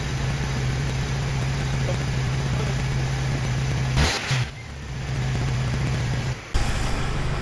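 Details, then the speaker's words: Jeep Wrangler YJ 2.5L, used replacement engine, first start and run: steady even low idle, no ticking left as the slow lifter has pumped up; engine settles in smoothly. "okay the tick calmed down significantly it's yeah that that lifter must have taken a little bit longer to inflate I am really happy with this it is running awesome"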